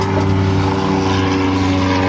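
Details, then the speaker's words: 2004 GMC Envoy after replacing loose rattling rear parking brake pad and rear brakes: steady driving hum, no chain-like clinking from rear; noise gone. "we got airplanes but there was not a sound of clinking at all in there now before it was just sounded like chains so that perking break was definitely the issue so now no more noise"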